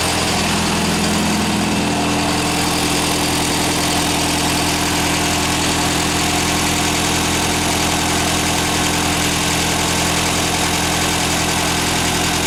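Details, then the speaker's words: Ford Fiesta MK1 at idle after replacing alternator bearings that caused a chirp: steady even idle, no squeal, chirp or grinding from alternator, charging about 13.6 V; normal idle. "Y de momento no se oye ningún grillo que venga del alternador."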